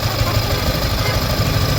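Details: Yamaha Sniper 155 after water pump repair kit replacement: low, steady idle thrum with no whistle or whine riding over it; the earlier water pump whistle is gone, engine and pump sound normal.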